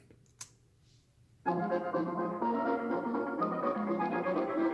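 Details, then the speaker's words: Control test on a four or five year old Microsoft Surface laptop: music from its speakers, clear and steady with no buzz or rattle, compared against rattling Dell Alienware x17 R2 speakers. "this is a four or five year old four thousand dollar laptop from windows it's a surface so i'll play it so we can hear the non-rattling noise"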